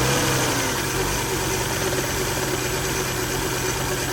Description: This is a 2000 Volvo V70 at idle with a failed electronic throttle module (ETM). During its rough idle, the engine shakes and sounds terrible.